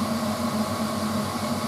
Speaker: And that's now rotating at 2,000 RPM, 2,800 RPM.